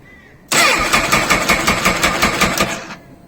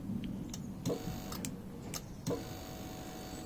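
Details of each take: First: Honda CBF1000, original battery, after long stationary idling: starter turns slowly in labored pulses, about 160 a minute, catches briefly and dies; owner suspects battery drained by poor charging at idle, possibly the stator, unconfirmed. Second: Honda CBF1000 with starting trouble, after fiddling with the starter circuit: a few sharp single clicks at uneven spacing as the starter solenoid engages; owner suspects dirt in the starter button switch.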